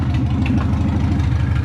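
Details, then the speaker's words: Rover Mini Sidewalk four-cylinder, first run in 14 months after engine work, no exhaust fitted. Loud, deep, even pulsing at steady speed with no misses or knocks: normal idle. ">> It sounds awesome."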